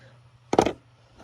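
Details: Old trombetta (solenoid) removed from 5th-wheel RV hydraulic leveling/slide pump, which failed to latch on reverse trigger voltage so slide retract failed: short clattery rattle when shaken, then fainter second rattle; loose broken internal parts.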